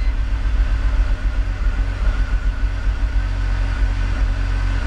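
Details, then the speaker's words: E46 BMW 3-Series with coil-on-plug ignition, restarted after clearing codes during a coil-swap test: the idle is mostly steady with occasional stumbles, shaking felt. An intermittent misfire, worst on startup, with no code set yet. "Yeah, I can feel it shaking. I can feel the missing. It's not constant, but it's an intermittent. You can see the idle is kind of getting affected."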